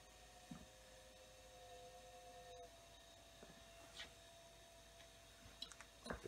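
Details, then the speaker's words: Marshall MG100HDFX solid-state amp powered up through jumper wires during power switch replacement: faint steady whirr with a wavering mid-pitched hum and scattered ticks; the cooling fan for the heat sink sounds rough, like it's going to die. "yeah that's good so i gotta find me to switch should i let it run that fan sounds like crap sounds like it's gonna die right out maybe maybe it'll quiet if it runs a while"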